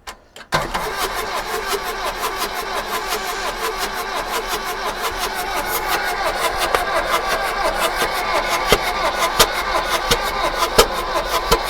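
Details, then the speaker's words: Bedford CF2 diesel van, abandoned barn find, cranking with starting fluid sprayed in: the starter churns evenly for ten seconds and never catches; the injection pump is not injecting any diesel. "right so basically it's an injection pump she no injecting any diesel better come back to this tomorrow I suppose"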